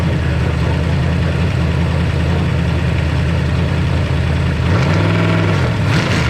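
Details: New 410 ci Ford Windsor small-block stroker for a Mach 1 Mustang, on a run stand with a 650 double-pumper carburetor: deep, smooth V8 idle with a brief rev blip returning cleanly and no knocks or misfires. It runs better than ever.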